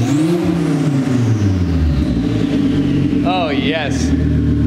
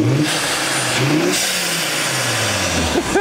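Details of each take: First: 2004 Volvo V70 R with the catless downpipe removed, no exhaust after the turbo, heard from the rear: raw exhaust roar swells with each throttle blip and a clear turbo whistle rises and falls with revs. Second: 2004 Volvo V70 R four-cylinder turbo after swapping the catless downpipe for a catalytic downpipe: revs up and back down cleanly with a much quieter, subdued smooth exhaust note, no rasp or drone; normal.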